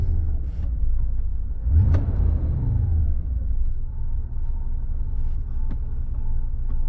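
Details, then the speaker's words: 1991 Mercedes 500SL, 39,000 miles, recurring high idle despite two new idle control valves, warmed to about 85 on the gauge after driving, on a 70° day: low settled idle holding even speed, no racing or surging; owner hopes it's fixed. "It sounds pretty good. Cool. Well, I think that's uh I hope that's the fix."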